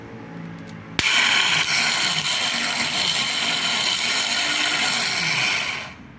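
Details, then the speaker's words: Peugeot Partner starter motor making a strange noise when starting, dried out inside and slipping on the ring gear: high, rough whirring spin with a wandering, wobbly drone, from worn brushes and a worn nose bushing. "esse aqui faz aquele barulho estranho aí quando dá partida lá né porque já tá bem bem ressecado por dentro galera"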